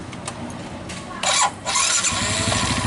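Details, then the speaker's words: Suzuki Smash starting after the starter gear, which had been rubbing the crankcase, was spaced away: the starter turns briefly and the engine settles into a steady idle. The earlier grinding is gone, though replacing the starter motor is advised. "Nah, suaranya pun sudah hilang seperti yang pertama kita bikin video, karena pertama tadi yang bunyi itu bunyi penyenggolan di crankcase teman-teman itu."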